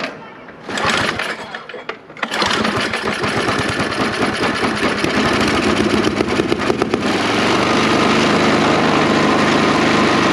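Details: 1980s Toro 521 snow blower, sat for decades, with new primer bulb and fuel tank, started on full choke with throttle up: engine catches, runs with a fast, uneven chatter, then the note changes and it stalls after starting.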